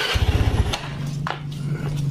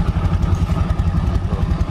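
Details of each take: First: Yamaha Mio Soul automatic scooter brought in not moving and noisy, idling with the CVT cover closed/belt off: loud racket gone but the engine still thumps slightly unevenly, about three beats a second; front/middle engine (block, head, con rod) suspected. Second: Yamaha Mio Soul automatic scooter, brought in for not moving and a noisy CVT: even, low putter with the rear wheel spinning freely and no belt-side rattle. Running smooth again; the earlier noise came from the CVT area.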